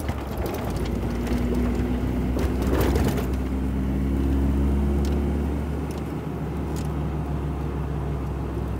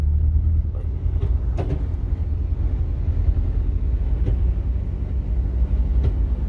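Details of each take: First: Ford Ranger 3.0 Power Stroke diesel, 175,000 km, after transfer case repair: steady diesel drone, even low hum, no whine, grind or knock; noise felt at the gear lever was from the transfer case and is now gone. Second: Ford Ranger 3.0 Power Stroke diesel, 175,000 km, running with 4x4 engaged: deep steady droning rumble with sharp clicks heard at the gear lever, worse with traction on; customer thought gearbox.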